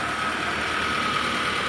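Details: Mitsubishi 4G15 after head gasket repair, fuel tank cleaning and separate coil conversion, radiator cap open with coolant steady: smooth steady idle with even hiss, no misfire, knock or ticking; normal idle.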